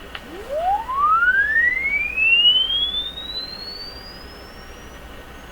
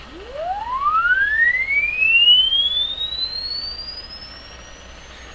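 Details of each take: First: Crosley 12B tube radio audio stage after restoration, sweep tone fed through: clean tone glides smoothly up and down in pitch with no dropouts or wobble, meter steady; smooth sweep response, though distinct harmonics were noted earlier. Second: Crosley 12B tube radio with tone control at full, deliberately detuned: a clean test tone sweeps upward and stays clear into high treble, so the speaker can reproduce highs and the IF alignment is causing strong treble roll-off.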